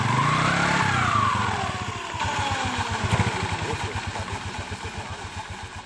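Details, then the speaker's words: Yamaha Mio Sporty scooter after CVT cleaning and maintenance for rough, noisy CVT: fires and settles into an even idle, steady low putter about four beats a second, no rattle or scraping from the drive; now smooth. "[ kita hidupkan sepeda motor ] [ suaranya sudah halus"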